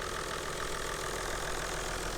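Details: 1995 Toyota Land Cruiser 4.2 turbo diesel Active Vacation, checked at auction, cam belt last replaced at 86,000 km in 2002 and due: even, steady idle with normal light clatter, no irregular knocks or misses, no smoke; engine sounds healthy.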